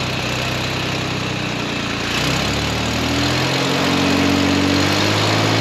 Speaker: way happier than what she was before but that carburetor is still funky